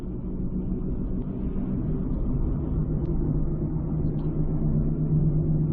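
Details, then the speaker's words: 2006 Ford Escape Hybrid on the road after a used wheel bearing swap: steady low drone under road rumble, slowly rising with speed; humming unchanged, so not the wheel bearing; owner wonders about a carrier bearing. "still have it hear it so it definitely wasn't a wheel bearing nothing changed"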